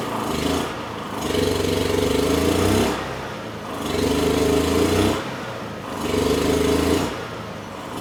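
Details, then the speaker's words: Honda EU6500is generator, roughly 15–20 years old, after draining water from the carb bowl and refueling: starts easily, stalls, and with eco switch off surges every two seconds or so, as badly as before; fuel delivery in carb suspected. "It started pretty easily and then completely stalled out. And even after restarting it with the eco switch off, it was surging just as bad as it did before with the wa"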